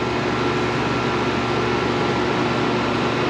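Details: York AC condenser after replacing bad capacitor (fan side read OL, compressor side low): steady even hum with fan whoosh, no rattles, clicks or cycling; fan 1.3 A; compressor and fan running normally; condenser dirty.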